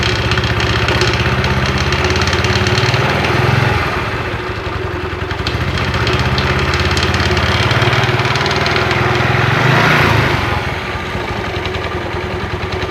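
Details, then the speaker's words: Yamaha Mio Sporty scooter CVT at light low throttle, noise gone at high throttle; uneven rattling knock about three to four a second, caused by badly worn front pulley roller housing and bushing. "oke suaranya kalau di gas tinggi hilang kalau gas awal kecil itu bunyi langsung cek aja Bongkar"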